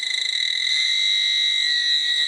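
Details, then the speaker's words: Commercial boiler plant room: gas sniffer gives continuous shrill unbroken alarm that won't calm down, indicating high gas concentration. "Oh, it's very upset. Wow, I upset this bad boy. He's not happy with me."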